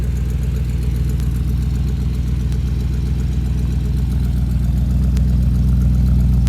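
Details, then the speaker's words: 1969 Chrysler Newport big-block V8, glass packs with one-year-old pipes: deep, even burble with steady quick pulse, no misses or knocks; smooth, healthy idle. "See, it idles nice and smooth. It's got glass packs underneath it. The pipes are all 1 year old on the glass packs."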